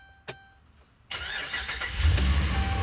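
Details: Dodge Ram 1500 V8 after a no-start fault from no fuel pressure, fuel pump primed with a jumper wire: a click, short pause, then instant catch and strong steady rumble; normal quick start.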